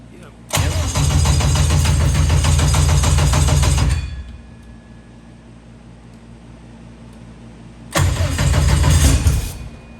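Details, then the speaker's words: 1000 hp K-series jet boat. Two bursts of steady cranking at about four turns a second with no firing; it only runs when the coils are toggled on after the starter. Ground problem and coil noise suspected: crank no start from bad ground. "see we got we got a ground problem i have to exactly and then turn the coils off so that's got some noise that's why it works when he toggles it like that"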